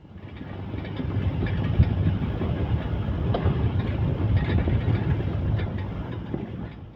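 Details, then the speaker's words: Mercedes-Benz W164 M-Class driven over rough roads: heavy road rumble with a severe clank and a loose-metal rattle on bumps. Owner plans to check the control arms and front suspension. "The car has a severe clank on rough roads, in addition to a rattle that sounds like a loose piece of metal somewhere."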